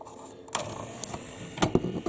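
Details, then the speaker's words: Memorex CD 5400 CD player with a sticking tray and a homemade replacement pin: short plastic clicks and a brief motor whirr, then the tray fails to latch because the pin has come loose and lifted out of its slot. "it's not catching so it's lifted up and out of this slot so it"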